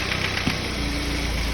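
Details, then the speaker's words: Ford Focus petrol engine after the fix, idling smoothly with an even low hum and no more knocking; the earlier noise was traced to the intake manifold area, so the engine itself was not knocking. Normal idle. "no more knocking the place thank you"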